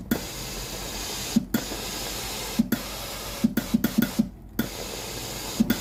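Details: Philips GC9682/80 steam iron, ready but soleplate cold: short wet spits and hissy pops instead of a steady steam jet when steam is pressed; heater not powered, traced to a faulty relay (ALDP124).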